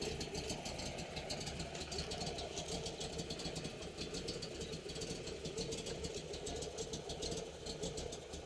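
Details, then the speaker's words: 1969 Camaro Z28 tribute V8 with a cam, new clutch: quiet, lumpy idle with a faint, fast metallic buzz on top from a loose exhaust section rattling; otherwise runs and sounds good. "you can hear the exhaust rattling a little bit where it's loose has a nice cam in it sounds really good"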